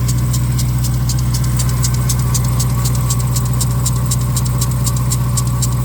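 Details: 2021 Dodge Durango Hellcat V8, cold engine at idle: a fast, sharp chirping tick, about four per second, from worn bearings in the lower serpentine belt tensioner; replacing the accessory belt tensioner fixed it.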